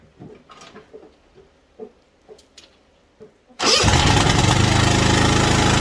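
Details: White Outdoor LT542G riding mower after repair, with the missing carburetor main jet reinstalled and anti-backfire solenoid and O-rings checked; catches at once and settles into a strong, even, steady beat with no misses, running healthy.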